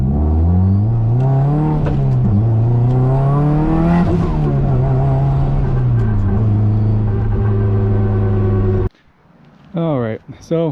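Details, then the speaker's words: Car driving on the road after a rear differential swap to an LSD; steady whine that rises and falls with road speed above the engine note, developed suddenly with all readings normal; source unknown, possibly driveline; gearbox service planned. "I don't know what this noise is um everything reads normal everything functions normal"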